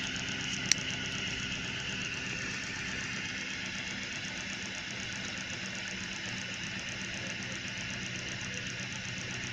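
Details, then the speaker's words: Flyback-delay switch circuit filling a 5600 µF cap bank, at about 15 volts, pulsing current into a 17.5-ohm load coil with an ammeter. Faint steady high hiss with a fast, even ticking pulse; normal pulsing under load. "So when I hook this up, you hear it? It's pulsing."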